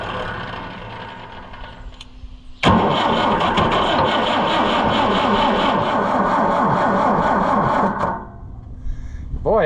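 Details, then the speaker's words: Oliver 550 diesel tractor, injection lines tightened back: fast even cranking chugs about five seconds with near-catches, then stops; turns over but won't run, no fuel from number one line, injection pump gummed up and stuck. "I pulled the number one injection line all the way off and I'll crank it and no fuel comes out. Like none."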